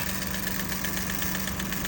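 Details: Fast, light, even metallic ticking from the top end over a steady idle, heard both when starting and while driving; diagnosed as loose valve tappets needing adjustment.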